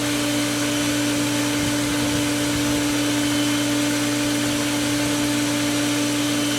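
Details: Pool pump with main drain valve shut while priming vacuum hose: steady motor hum with airy rushing water noise, no change in tone; still drawing air and not primed.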